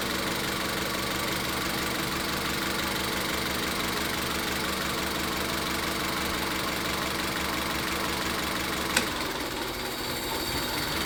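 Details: Misfire and rough idle: cylinder three is dragging, giving an uneven, loping idle with irregular stumbles. A coil power-balance test has confirmed cylinder three and ruled out spark; the cause is still unconfirmed.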